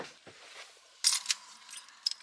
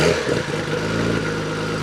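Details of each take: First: Nissan R33 GTR that died after parking, restart attempt: starter whirs steadily and engine spins but never fires; owner checks fuel pressure at regulator, cause not confirmed. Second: Nissan Skyline R33 GTR back up and running after a no-start breakdown (wouldn't start after parking; fuel pump priming checked): strong, even engine note with slight rise in revs, no misses or knocks.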